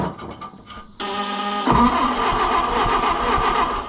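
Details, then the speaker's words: Oliver 550 tractor that wouldn't run, started with brake clean, coil borrowed from another tractor, spark issues suspected: short crank, then catches and runs with an uneven loping beat and irregular thumps; possibly a push rod jumped off, not confirmed. "Ooh, that doesn't sound good. I don't like that loping. That almost sounds like something bad has happened. Like a push rod jumping off."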